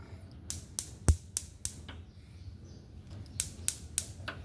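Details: Used gas stove, electric spark igniter tested while plugged in; run of sharp crisp clicks about every third of a second, then a second burst; igniter firing normally.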